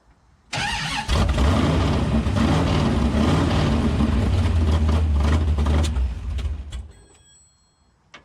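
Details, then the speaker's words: 505 stroker big-block in a Dodge Charger on its first start. It fires up loud and lumpy, the revs wander for several seconds, then it stumbles and dies; the idle is not yet set and the fuel pump needs upgrading. "we're gonna need to upgrade a fuel pump for this thing so well I guess that's another purchase and we got a run and we got to get this thing actually set it where it will run an idle"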